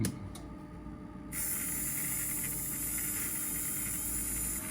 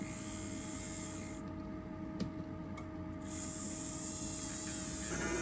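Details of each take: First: Motor from a 1964 Athearn F-unit model locomotive, bench-tested after the loco refused to spin. It spins up to a smooth, steady hiss with no knocks or catches and runs freely, though it might like some oil. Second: 1964 Athearn F-unit model locomotive motor on test bench: small motor whirring with steady mid-pitch whine and hissy rasp; sounds bad, draws over 2 amps stalled; owner suspects thick grease or brushes.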